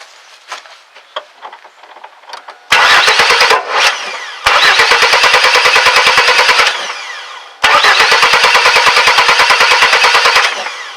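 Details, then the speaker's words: 2001 Chevy S10 4.3 V6 cranking after timing, chain and rotor checked and reassembled: rapid even cranking in three long bursts, never catches; no-start, electrical, later traced to distributor cap shorting. "and of course here you can see it's still not starting"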